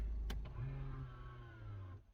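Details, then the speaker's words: Electric parking brake on a customer car applying automatically: a quiet whirr of about 1.5 seconds as the small motor drives, then stops cleanly, warning light back on; auto-release on drive-off also confirmed working, normal operation. "hopefully you heard that see the light come back on automatically really automatically put on the brake"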